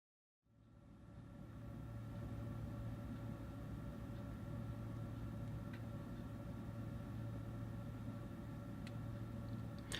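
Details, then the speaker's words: Old 3Com industrial-grade fibre optic backbone network switch: constant low drone with steady whining tones from its cooling fans, loud ambient room noise while filming; cooling fan whine. "this isn't the sounds of silence by Simon and Garfunkel this is the ambient noise of my videos when I'm filming and I'm just about fed up with it"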